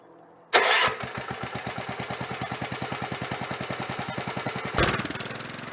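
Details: 1983 Avenger 400 ATV, 318cc Kohler K181 8hp single, with newly fitted choke cable: short crank, then catches and settles into a fast, even putter around six or seven beats a second; starts and runs well.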